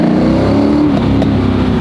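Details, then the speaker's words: GT40 on newly installed ITBs and a new transmission, first drive after 21 years, pulling in first gear: deep, even pull with a strong, clean intake roar. Healthy induction noise under load. "first gear is good sounds so good it does the induction noise on the ITV is just it"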